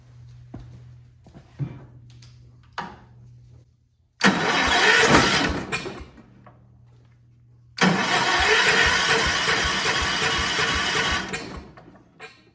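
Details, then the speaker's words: Old Kohler 4500 W generator with points ignition, running on a temporary fuel tank bypassing the faulty fuel pump, no muffler, weak battery. Two long cranking spells with one brief stronger burst as it fires once; cranking with brief firing. "I feel like it may have kicked once. Holy cow. It shook so hard, dude."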